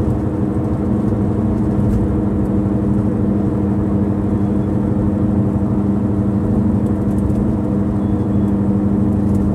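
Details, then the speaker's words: 2009 Subaru Outback while driving, audio amplified: steady whirring grinding drone that changes volume and pitch with speed, from the right (passenger) rear, worsening over time; worn rear wheel bearing hub, confirmed and replaced. "hello everyone my Subaru has been making this whirring grinding noise for quite a while it's clearly coming from the Rolling mechanisms of the chassis and it changes volume and Pitch with changes in speed"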